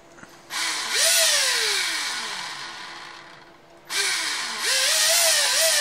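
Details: Brand-new replacement Traxxas Velineon motor, spur gear removed, spun unloaded on a 3S 4000mAh 20C LiPo: whine sweeps with throttle over a gritty hiss; owner suspects a bearing, unconfirmed.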